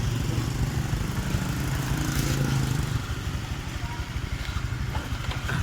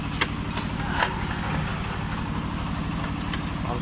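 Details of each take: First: Honda Vario 125 old after replacing the connecting rod and crankshaft, radiator filled: even, steady single-cylinder putter with no knocking or clatter that was heard before; the engine sounds healthy. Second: Honda Vario 125 (old model) with the CVT roller housing disabled to isolate the noise; a quick, steady knock rides on the idle, and a worn connecting rod is suspected, possibly the piston.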